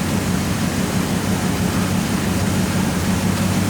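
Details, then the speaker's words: 2009 Maserati Quattroporte V8 just fitted with eight new coil packs and eight spark plugs to cure a misfire: deep, steady idle with even rumble and no stumbles, sounding smoother than before; normal idle. "I don't know I just don't know that sounds smoother"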